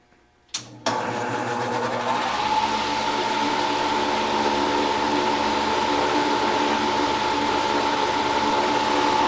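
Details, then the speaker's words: Old HVAC heat pump motor on the bench: rough abnormal start-up noise, then a thin steady whine over the motor hum while running; bearing worn out. "you could hear an obvious uh abnormal noise when it started up and then when it got to running there's a little wh"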